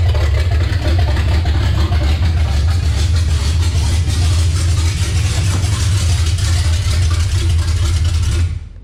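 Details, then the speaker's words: Revived 350 V8 in a C10, first start in 6 years after the swap: deep, lumpy rumble running steady and strong with no knocks, ticks or misfires before shutdown. Healthy running, though the oil leak at the valve cover may get a reseal. "sounds great runs awesome"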